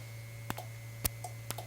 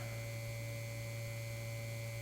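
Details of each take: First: Sensitive relay in a 1952 Guide Autronic-Eye vacuum-tube automatic headlight dimmer (GM/Chevrolet accessory) clicks about twice a second over a steady hum, but the test bulb stays off; owner suspects a bad connection downstream, relay itself working. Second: 1952 Guide Autronic-Eye vacuum-tube headlight dimmer, power supply after getting the vibrator working: low, steady buzz at one pitch with no sputter, plus handling clicks. High-voltage secondary reads 1230 V unloaded (1150 V expected under load), normal operation.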